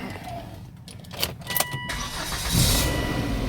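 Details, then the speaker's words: Volvo S60 five-cylinder turbo after new motor mounts, strut and sway bar links: a few clicks, then it fires quickly into a smooth, even idle, no smoke. This is a normal start and idle; it previously ran violently. "oh listen to that purr five cylinder turbo charged nice and smooth too no smoke no nothing it runs"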